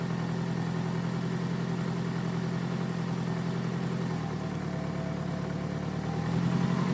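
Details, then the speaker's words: 2002 Toyota Camry, 273,000 miles, sat over 5 years, after rejoining the cut coil pack wiring: even steady idle with smooth low drone, no misses or knocks; runs well. "It runs and runs pretty good. you know, for to have 273,000 miles on it."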